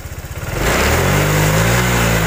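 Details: Honda Vario 125 fuel-injected scooter, full-throttle test on scanner: revs climb fast then drone flattens and wavers instead of pulling higher; bogging at high rpm.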